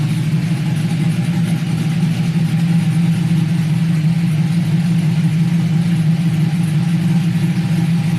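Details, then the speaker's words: 1999-06 Chevrolet Silverado/GMC Sierra V8 with BTR Stage II truck cam, head gaskets, headers, single-in single-out Flowmaster exhaust: deep choppy crunchy lope about three pulses a second, even without stumbling; normal cammed idle. "crunchiness oh man that's only single in single out flowmaster effect imagine if i ran through duels but this thing sounds killer"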